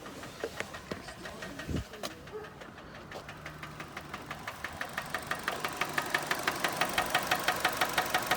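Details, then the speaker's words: Car engine that locked up on the road, spun a bearing and restarted: heavy, regular knock about three times a second at idle, growing louder. "I slammed on the brakes tires tripped and then it's fun over and it was knocking like at the hole here's a little clip of that"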